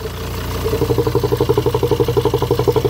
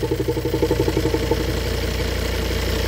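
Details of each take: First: Same cheap used car at idle, oil filler cap removed: a fast pulsing hiss-chug at about three beats a second over the idle; owner suspects leaking vacuum engine mounts, found via internet search, and plans to test by plugging their vacuum line. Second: Cheaply bought car whose vacuum-operated engine mounts caused a noise, EGR already blocked: with the mount vacuum line plugged, a steady, even idle with a low regular pulse and no mount noise; engine runs like clockwork.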